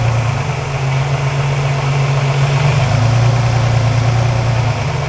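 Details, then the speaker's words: Engine idling while a candidate vacuum line is pulled off during a GlowShift vacuum gauge install: the idle drops in pitch and stays lower and rougher, so the line is confirmed as a usable vacuum source, though it is large and may need a different fitting. "And when you pull it off, if the engine changes in sound, if the RPMs go up or down, then you know you have the right vacuum line if it makes a change in the way the engine's running."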